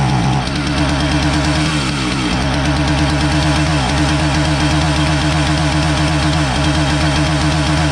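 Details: Husqvarna 450 chainsaw that starts fine but won't rev up: ragged two-stroke running with skipped beats and uneven firing that won't clean up even with choke richening; not a carburetor problem but an ignition module misfire.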